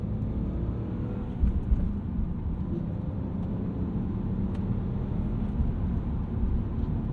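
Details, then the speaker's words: 2000 BMW 323i E46, 2.5 L six, 5-speed manual, 364,000 miles, in-ear binaural recording at highway cruise: low, even engine and tire rumble, quiet road and wind noise with no knocks or whine; healthy engine. "Even as far as road noise and wind noise, this thing isn't even that bad."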